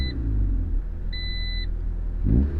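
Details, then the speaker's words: Restoration project vehicle at startup: low engine rumble stumbling and swelling unevenly as it catches, with a chime over it; bad hesitation like limp mode but no code or check engine light, also sputters and wants to die in drive; cause unknown. "But for some reason it's just having like a bad hesitation, like it's going into limp mode, but there's no code, there's no check engine light, but I just gotta figure it out."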